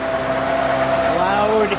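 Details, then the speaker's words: 2005 Ford Freestyle 3.0 L Duratec, at tailpipe after replacing an SKP iridium plug with a Motorcraft SP433X: steady even idle, no miss or puffing; earlier ignition misfire cured. "So, there we are at the tailpipe. No miss. You hear no puffing coming out pretty good."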